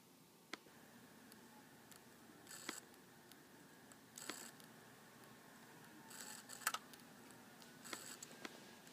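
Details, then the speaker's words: MacBook hard drive: irregular sharp clicks and faint tapping over a soft steady whine as the read/write head and motor struggle to access data; the drive is failing and needs replacement. "yeah and what that clicking uh and little tapping sound is that's the read right head and motor trying to access the drive but struggling and so I'm pretty sure the drive is failing"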